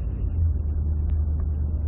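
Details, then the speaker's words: 2010 Ford F-150 with 6R80 six-speed automatic, which surged on the road especially when cold: deep, even road rumble above 25 mph in higher gears with the torque converter clutch manually kept unlocked; surge gone, pointing to torque converter clutch failure. "you're past 25 miles an hour and it's just smooth as can be as can be problems totally gone because we're never locking up"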